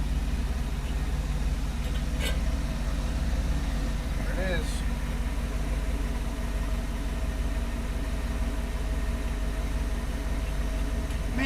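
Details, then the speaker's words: 1959 Ford F100 with 302ci (5.0L) V8, 650cfm carburetor and C4 transmission, idling: a low, even rumble holding steady with no ticking, knocking or stumble, quiet and smooth; a normal, healthy idle. "hell yeah man that thing is nice and healthy"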